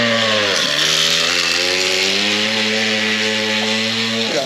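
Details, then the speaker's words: Old Bigfoot GoPed two-stroke running after sitting over 4 years, untuned and feeling weak. Buzz sags in pitch and holds unevenly; bogging and running rough, cause unknown. "i'm thinking here it's like bogging down so if you technically just be able to pick up and go bro you know we need she still feels weak"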